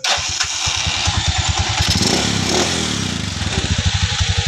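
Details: Rusi 175 motorcycle after repair of a knocking, cricket-like, Kubota-like engine noise: it starts and settles into an even, steady idle with no knocking.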